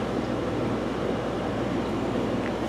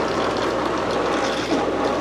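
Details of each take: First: Fluval FX5 canister filter after cleaning and replacing cracked O-rings that let air be sucked in and caused noise: an even, low hush and soft rumble with no gurgle or rattle. Now running quiet, with better flow. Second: Old Fluval FX5 canister aquarium filter before cleaning: loud, steady gurgling rattle with a hiss throughout, no rhythm; air drawn in past a cracked canister gasket.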